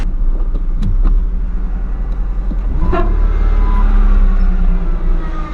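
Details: 2004 Ford Mustang idling outside after fuel pump replacement, oil pressure and temperature good, possible valve cover seep; steady even low rumble, no knocks, misses or ticks, passing car outside: normal healthy idle.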